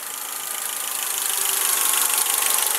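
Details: Honda Accord idling right after setting ignition timing; quick light ticking about three or four a second over steady idle, suspected valve clearance needing adjustment, not confirmed; an earlier high-low idle hunt, possibly an air bypass valve, has gone.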